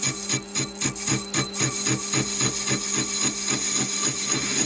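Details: Stuart Models S50 flywheel casting on a lathe: a scraping cut with a regular tick about four times a second, once per turn, as the tool catches a hard spot in the casting.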